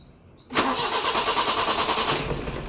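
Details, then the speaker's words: BMW E30 M10 engine that began misfiring and shaking after about 5 km of normal driving; on this test it cranks with a rough, uneven churning that never settles into idle. Cranking, no start. "Sekarang kita tes. Enggak bisa hidup. Tadi hidup sih."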